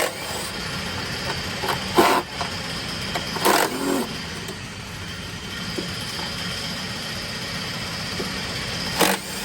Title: Common rail engine Mack mp8 hard starting and white smoke leaking fuel injectors #mechaniclife